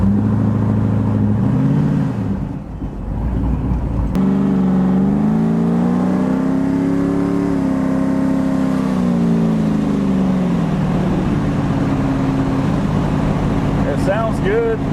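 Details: 2002 Pontiac Trans Am with a Texas Speed 408 Sledgehammer, Holley Terminator X EFI and 4L80E swap, during break-in and the EFI learning phase: the deep V8 note climbs cleanly, eases off and rises again with no misfire or knock. Sounds healthy.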